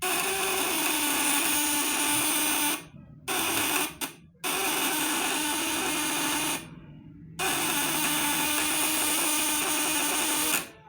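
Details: Vibrator-contact inverter, 1 kg core, tested on a 500 W load, output over 50% and steady with no flicker because contacts are smooth: harsh buzz with high whistling tones, short breaks between runs, contacts chattering evenly; normal.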